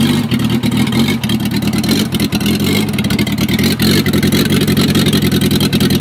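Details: Gutbrod 1050 tractor fitted with a VW Polo engine the day before, first start attempt: diesel chugging steadily with quick, regular firing pulses and no misses; it starts and keeps running on its own.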